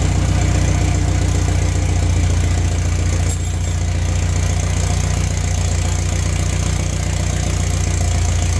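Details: BMW first start after second engine rebuild with all new bearings: loud open-exhaust idle, steady even low pulse, no ticking or knocking, started right off; normal healthy idle.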